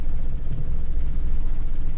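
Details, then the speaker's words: Toyota Kijang just after an oil change: low, slow idle with a rough rumble and light rattling over it; engine noisy with many loose parts and idle speed too low. "ini berisik Kapan teman-teman Iya berisik banyak yang kendor-kendor dan stasionernya rendah"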